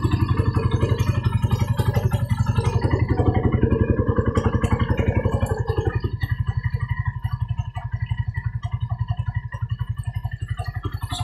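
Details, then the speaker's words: Freshly rebuilt Raider carb 180cc: 30mm flat-slide carb, 68mm steel bore, stock head and valves ported and polished, hollowed stock pipe; stable idle returns to 1.5 after revving, low even thumping with no ticks or knocks, very quiet during break-in. "Sobrang tahimik na makina. Parang brand new lang. Parang nirefresh lang."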